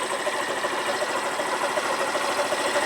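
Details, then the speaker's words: Derbi Senda Cross City 125 motorcycle, idle screw turned right from about 1,700 rpm: fast, even ticking idle with no stumbles, RPM shot to about 2,000 then about 1,900; idle set too high. "And the RPMs just shot up probably to about 2,000. Yeah, they're about 1900 now."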